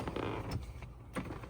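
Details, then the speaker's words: 1999 Lexus ES300, 26 years old, about 147,000 miles, short even power seat motor hum starting and stopping cleanly without grinding or binding; seat motor works normally. "I'm going to scoot this back. So that works. Does my seat work? Yeah."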